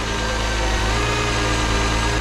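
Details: 2006 Chrysler 300 3.5 with 120,000 miles, started after a no-crank fault by feeding power to a 5 A fuse; module or ignition switch suspected: steady, even idle with a smooth low rumble, no ticks, misses or rattles.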